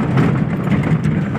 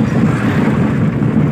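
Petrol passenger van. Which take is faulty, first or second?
second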